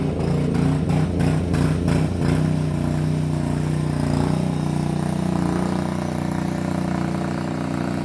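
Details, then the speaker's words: Bobcat 440B skid loader temporarily fitted with a small single-cylinder Honda pressure-washer engine, which runs only at full throttle, to test the drives: a steady full-throttle drone with some early clatter; running normally. "But anyways, I'll set the phone down and fire it up, and it is a pressure washer engine, so it just runs full throttle or nothing."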